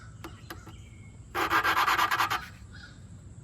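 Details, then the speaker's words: Lapping a valve by hand on the Briggs & Stratton 190cc Quantum engine from a 2011 Toro 22" Recycler (model 20333): short rubbing strokes about three a second, with the pitch changing as the valve finds good contact with the seat; normal lapping. "So, you can kind of hear the pitch change, and I think that's what you want to hear. That's the uh the valve finding a good contact surface with the seat."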